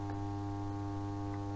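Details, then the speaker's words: Dead well pump stood upright so its tilt switch powers it: a steady electrical hum with no run-up, the motor is powered but not turning. "When I put it upright, you might be able to hear the motor in here just humming."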